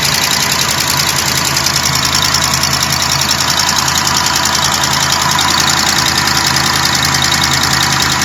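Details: 2012 Jeep Grand Cherokee WK2 5.7 Hemi V8 at cold start after standing overnight: steady sharp ticking about three to four a second, quiet within a minute, longer if driven straight away; lifter, exhaust leak or noisy injector suspected.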